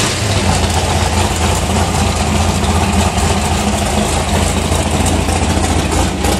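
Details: 1981 Chevrolet Malibu drag car, big-block Chevy V8, first start after about 15 years in storage, in neutral: deep, lumpy rumble holding steady idle, firing evenly, no ticking or knocking; normal idle.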